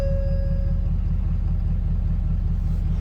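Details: 2014 Ford F-350 6.7 Powerstroke diesel that previously would not crank or start, now running after a damaged wire in the fender well was repaired. It gives a deep, even idle with a steady low throb and no misses or knocks.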